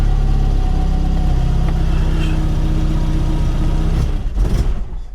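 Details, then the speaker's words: VW Mk1 Golf Cabriolet after an engine swap and automatic-to-manual gearbox conversion, cold first start with the choke partly off: a loud, uneven, lumpy rumble for four seconds, then it sags and stalls. It needs tuning, and more choke helps. "Oh no. Sounds like we need to tune her a little bit."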